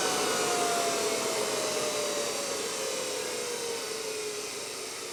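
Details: NetGain Warp9 series DC motor run unloaded on older Curtis 1221C-7401 120 V 400 A controller: smooth high whirr with clear controller whine slowly dropping in pitch as motor coasts down, no rubbing or grinding.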